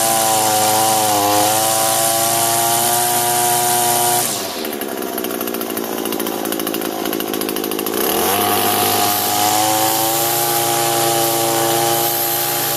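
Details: Echo two-stroke gas trimmer after replacing the lower gear head unit and filling it with lube: revs up and back down cleanly with steady engine note and no rattle from the head at any speed; previous shaft-bottom rattle fixed.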